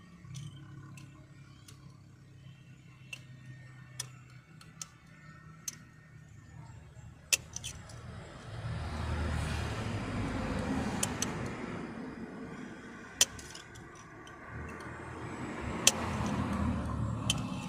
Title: Engine knocking and see what's happened inside! #subscribe